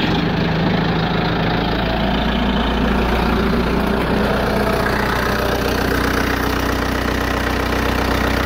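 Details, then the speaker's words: Bobcat 853 diesel idling after fixing fuel starvation with a new 12 V electric fuel pump, started without priming after sitting overnight, not at full throttle: smooth steady low idle, no stumbling; runs fine. "I don't want to uh go Full Throttle on it since I just started it but you know it's got good power run perfect"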